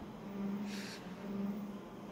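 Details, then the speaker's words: Konica Minolta copier with document feeder, mid-copy: steady low squeal, unchanged pitch, over the running hum, source not identified; low-pitched squeak. "to that squeak fossa low pitch squeak it's not good it's not good for for core Nagar first"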